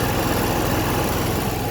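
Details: Newly installed Onan 5500 (5.5K) LP propane generator in a 2000 Newmar Kountry Aire 5th wheel, under load via transfer switch running AC and microwave: smooth, even low drone at constant speed, no misses or knocks; normal running under load.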